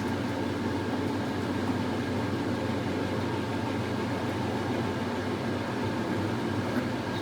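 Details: Vintage Maytag washer spinning out water before rinse: steady, even hum with constant whir and no thumping or grinding; spinning smoothly.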